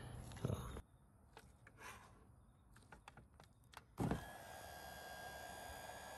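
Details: GE GDF530PGM0WW dishwasher wash pump motor, powered on after lint-like debris was cleared from the pump (it made crazy noises after the customer cleaned it): a couple of clunks, then a steady even hum with a faint whine and no grinding; the motor is healthy.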